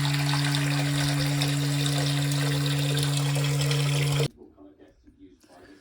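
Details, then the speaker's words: Loud steady low foghorn-like drone from the pipes whenever any hot or cold tap runs on a combi system, cutting off dead when flow stops; kitchen sink tap also dripping, traced to its worn washer. "a huming noise on the water when she uses any hot cold any tap on a comie system and it's a fog on noise but also she's got a dripping kitchen sink tap the Clue's there"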